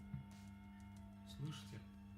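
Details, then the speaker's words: Subwoofer amplifier: steady low mains hum that it recently started making, most likely a failing capacitor at the power-supply input, heard before disassembly. "hear this is the sound it started making this is most likely a capacitor there are some at the input"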